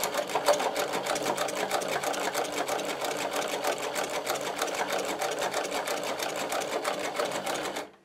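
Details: Podolsk sewing machine with a servo motor, sewing thick leather with thick shoe thread; rapid, even stitching rattle about three stitches a second, then a clean stop; normal high-speed sewing.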